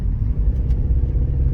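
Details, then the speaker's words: Rover 25 running badly since its engine bay was cleaned, engine management light flashing: a low, lumpy idle that pulses and stumbles unevenly like a misfire. The owner suspects the coil packs; the cause is not confirmed. "i suspect that uh i need to replace my coil packs you hear that sounds a bit like a subaru or an old volkswagen beetle or just something that's completely shacked"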